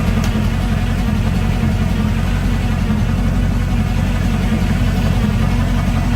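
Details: Carbureted Camaro V8 with electric fuel pump, owner asks whether it's cammed: steady low rumble with an even lope idling around 700 rpm, no misses or knocks; it had some trouble starting but idles normally and healthy.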